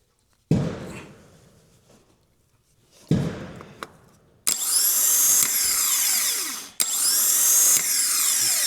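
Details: 2008 Suzuki XL7, 190,000+ miles, no-start from a dead starter: new replacement starter bench-tested off the car. Two dull thumps, then a high, even whirring spin that holds steady with no grinding or clicking, so the starter spins freely, unlike the rough, loud old unit.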